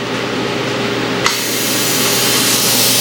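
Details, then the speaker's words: Cheap laser cutter converted to plasma cutter, on 110 volts, not cutting: steady low hum, then a sharp click as the relay pulls in and a hissing buzz starts when the button is pressed; normal relay switching. "And then if I push this little button here, you should hear that thing clicking."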